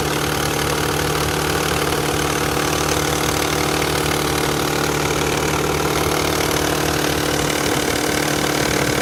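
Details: Nissan Fairlady Z Z32 twin turbo: fast even clattering ticks about three a second over steady idle; hydraulic lash adjuster rattle, much louder right after a cold start than after warm-up.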